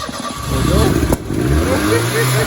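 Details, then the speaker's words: Turbocharged Merkur XR4Ti first start after years of storage, smelling of old fuel: cranks, coughs, catches, note climbs and settles into steady run; engine running after long storage. "It's running. Incredible. It runs. It runs. It just plain runs. I can hear the turbocharged power."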